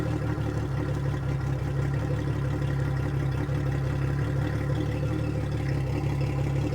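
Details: 2003 Yamaha 225 four-stroke outboard, on flush hose after fuel flush: steady even low idle rumble with no misses or knocks; small backfire/miss on throttle noted, otherwise sounds pretty good.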